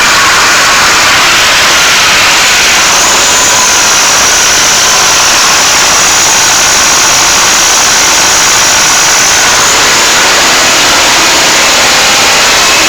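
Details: First start of an SMD-18 diesel engine: loud, harsh clatter held at a steady speed, even and unbroken throughout; runs normally.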